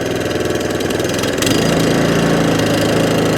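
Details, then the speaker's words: Allett Kensington cylinder mower, Kawasaki FJ100 single-cylinder, after carb, fuel tap and fuel system clean. Low, steady tick-over with no rise and fall, no hunting or surging at low revs: normal idle. "running has absolutely sweetened up as the very first day is manufactured"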